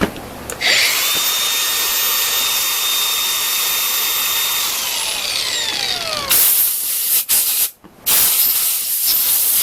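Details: Makita DGA404 18V 4-inch brushless cordless grinder after rental and maintenance (cleaned, oiled, reassembled), test run. A high clean whine comes up quickly, holds about five seconds and winds down smoothly with no grinding or rattle. Healthy.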